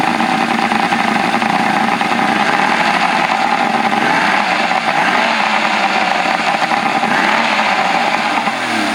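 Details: 1984 Grady White Overnighter 20 outboard running on a flush hose after mounting; steady constant-pitch buzzing drone, no stumbles or misfires, though the three two-barrel carbs' fuel distribution block leaks while running. Normal running.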